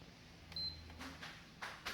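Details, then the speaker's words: PS5 after a power surge, HDMI IC removed: one short high beep on power-up, then faint clicks and silence as it shuts off; cause unknown, southbridge short suspected. "so you hear the console it's did 1d you hear that so there is one beep"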